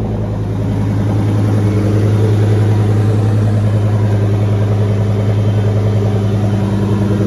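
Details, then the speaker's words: 2004 Mustang Mach 1 after the transmission was pulled, the pivot ball stud refitted with lots of Loctite, the fork greased and fluid refilled. Even, low engine drone picking up smoothly, no chatter or bearing squeal: normal clutch operation. "tons of locktite on that pivot ball stud and then it just was really smooth again"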